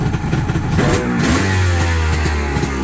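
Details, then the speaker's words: 2001 Kawasaki 900 STX jet ski on premix, after fixing a no-spark condition at the stator/pickup, cold start via primer (no choke plates); crisp two-stroke revs climbing and dropping cleanly with no misfire; normal running. "you've got to use the primer to start it because there's no choke plates but uh this one's ready to go"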